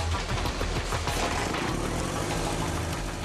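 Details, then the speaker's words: New Suzuki GSX-R1000 engine at final assembly-line compression test, spun by an electric motor, not running: steady dense pulsing rumble at constant speed, no knocks or rattles; the exhaust-like sound is the pressure gauge measuring airflow. "it almost sounds like the engine's running but it's not an electric motor is spinning the engine and what sounds like an exhaust system is really the sound of a pressure gauge measuring the airflow inside the new engine"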